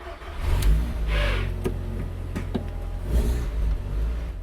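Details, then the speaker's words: Renault Clio 172 swapped with Audi/VW 1.8 20v turbo, near 300hp, after driveshaft rebuild restoring lost drive: engine pulls steadily with low rumble and rising revs as car rolls off, no driveline clunks; normal drive. "Hooray! We've got drive again."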